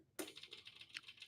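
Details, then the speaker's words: Dixie Chopper mower that won't start: with key on, fuel pump running and sharp irregular light solenoid clicks, engine never fires; owner doubts it is the solenoid itself and is unsure of the cause. "because you hear the clicking. So yeah, you hear the solenoid clicking. I guess you heard it. Yeah, yeah. You can hear the clicking and everything."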